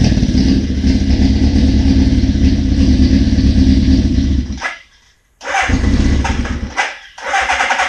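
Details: 1981 Suzuki GS650GL during rebuild with new battery, plugs, oil, filter and pod filters, on choke: four-cylinder fires and runs with steady, even burble, shuts off and restarts cleanly; normal running, small carb fuel leak suspected.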